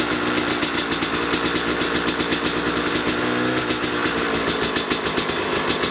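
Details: 2005 Kawasaki KX250 two-stroke, first fire-up after rebuild for low compression (piston shot, plating questionable, crank play): crisp rapid popping at idle with even throttle blips, picking up cleanly and settling back; healthy.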